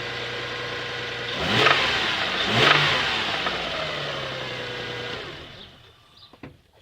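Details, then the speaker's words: Toyota 1MZ-FE V6 daily driver that began knocking after a roughly 5-hour round trip: two quick revs, each blip carrying a harsh knock, before shutdown. Identified as big-end rod knock. "Yeah, that's never good. That's called rod knock."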